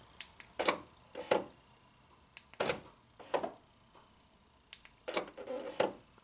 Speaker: I don't know if you can hear that little buzz at the end. That's the gears going bad. Try it again. Yeah, you can hear it on the unlock that the gears are going bad on this one.